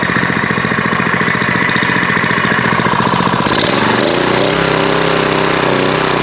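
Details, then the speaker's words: Older Kawasaki small engine after carburetor repair (butterfly fixed, adjustment improved): steady fast, even putt, pitch changes as speed shifts, keeps running smoothly; sounds healthy. "You can still hear that engine running in the background. And I'm not sure what I did other than get the carburetor apart, fix that butterfly in there, and get the adjustment a little bit better."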